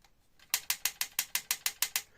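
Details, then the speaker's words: Brand-new Trek Domane AL3 ridden on rough terrain: sharp, bright clicks, about six or seven a second, from a cable rattling inside the frame; fixed with slit Nerf-bullet foam pushed onto the cable. "so this cable rattles around inside the frame"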